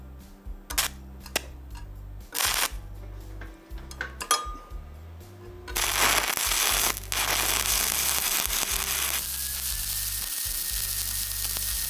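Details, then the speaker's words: HTP dual-voltage all-in-one welder, regular standard stick arc, first weld, 1/4-inch material, 7018 rod, about 120 amps; after a few clicks, a steady even sizzling hiss with no popping or sputter, a smooth buttery arc. "This is just regular standard arc welding right here. This is the first one we did. You can see that's a nice smooth buttery arc."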